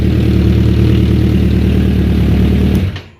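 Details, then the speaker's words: 2001 Suzuki Katana 600, after fixing fuel feed line routing (air pockets) and fitting proper plugs: deep, even burble at steady ~1,000 rpm idle on all four cylinders, started without choke, then shuts off; normal idle. "This bike is running perfect now. Sitting at 1,000, didn't have to use the choke to start it, cranked right up."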